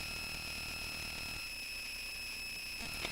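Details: A steady high-pitched whine with thin hiss comes from the Touchboard audio board's speaker output; electrical noise from the amplifier is suspected. Not confirmed.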